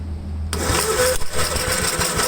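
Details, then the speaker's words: 1954 Gravely single-cylinder after a clogged fuel line was cleared, Seafoam added, weak old battery: catches abruptly and runs fast and rough, way too much throttle; owner blames a messed-up throttle rod. "but that's way too much throttle. Let's see what's going on with that now."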